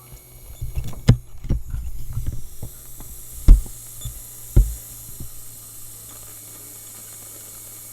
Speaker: It turned on, but now it's like hissing at me.